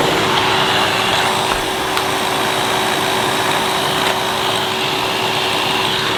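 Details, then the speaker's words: 2005 Numatic Edward Turbo vacuum with turbo electric head that cut out intermittently; after cleaning and reassembly, a steady motor hum with a constant whirring note that never drops out. Head runs continuously, apparently cured for now. "Right, that seems to have cured it for now anyway."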